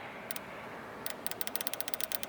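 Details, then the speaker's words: TBI throttle body fuel injector bench-tested with 12 volts through alligator clips: crisp, sharp clicks about ten a second, one per tap of power, meaning the injector opens properly, normal clicking. "this injectors good because I could hear the tapping so do the left side now the right side so the injectors are good"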